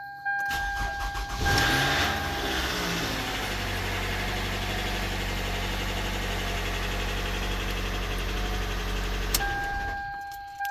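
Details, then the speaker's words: 2010 Toyota Camry at 197,000, loud metallic timing chain rattle as the engine cranks and catches at startup, then runs noisily; timing chain and water pump to be replaced. "2010 Toyota camway we got to put a timing chain in it it's making noise during startup"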